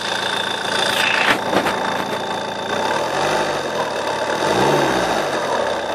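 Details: JTD diesel at idle: steady idle with a thin, high-pitched chirp on top and an even low rumble underneath; an unwanted squeak whose source is being searched for.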